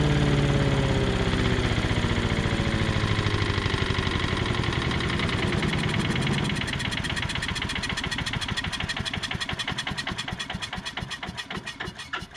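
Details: 5.5 hp Tecumseh engine on an MTD Yard Machines chipper/shredder, started after a carb clean with gas in the throat. It fires up cleanly, the firing beats slowing and spacing out evenly as it settles toward idle; running normally.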